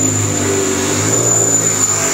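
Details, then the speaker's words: Mini Cooper S R53 with freshly rebuilt Eaton M45 supercharger, revving: thin steady high whistle throughout, seeming to come from the supercharger area; suspected intake air leak, unconfirmed. "fischia fischia quindi se fischia significa di fatto fischio da dove arrivava da davanti vedo come sembra che arrivava dal volumetrico"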